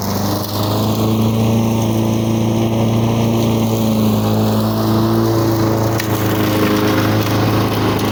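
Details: 1985 Lawn Boy model 7350 two-stroke mower, revived after at least three years outdoors, cutting weeds on raised wheels. Steady, even drone holding pitch under load, running cleanly. The owner says the RPM seems slightly lower than it should be.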